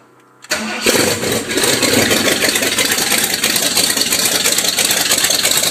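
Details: 1979 Ford with 460 V8, exhaust cut loose to straight downpipes and the exhaust leak repaired, primed then started cold: brief crank, catches and settles into a loud, steady, even idle; normal cold start and idle.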